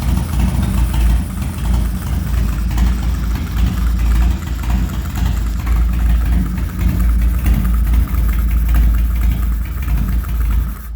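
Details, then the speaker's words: 2003 Harley Dyna Low Rider, a non-runner that earlier ran badly, with heavy motor work (unknown cams, headwork, high-lift valve springs), already started once: restarts without choke into a loping, uneven-beat idle with throttle blips; runs fine, fuel system still needs flushing. "Let's see, it should start back up with no choke. Yeah, it's had a lot of motor work done."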